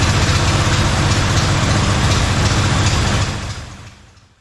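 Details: 1956 Plymouth Savoy with a 277 Poly V8, first start after sitting, running with a fuel pump hooked up; a steady, even, low burble for three seconds, then it winds down smoothly when switched off. Normal running.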